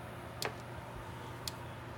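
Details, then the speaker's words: Early-1980s Gallagher MPE fence charger plugged in after its cord passed a continuity test; sharp even clicks about a second apart, normal pulsing, though its indicator bulb isn't lighting. "Well, you can hear it clicking. That's a good sign. These things don't put out a whole lot of voltage."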